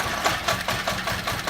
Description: VW 2.0 Petrol running on as low as 1 cylinder intermittently.